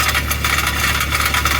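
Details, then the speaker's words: Toyota Previa at cold idle, after 150+ miles at 75 mph running lacquer thinner through the cats for P0171/P0420 codes: light tinny irregular rattle, owner suspects loose element in front upstream catalytic converter; it earlier faded once warm under exhaust pressure. "that's coming from the exhaust pipe I'm pretty sure that cat this one right there has a loose element in it it's just vibrating around"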